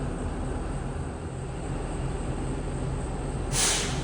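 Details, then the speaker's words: 2022 Tiffin Allegro Red 38KA diesel RV idling during an air brake test: steady rumble, then a sharp air hiss as the compressor unloads at the roughly 125 PSI governor cut-out, so the governor is working normally. "And we're just waiting for that compressor to kick off"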